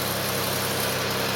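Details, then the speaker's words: 2005 Chevy Equinox after an upper engine rebuild (heads pulled) following a broken spark plug, starts right up on a good charge: even, steady idle, light hiss over a smooth low hum, no knocks or misses; alternator issue still pending; normal idle. "But yeah, starts right up when you got a good charge. And as you can hear, the motor's running pretty damn good, man."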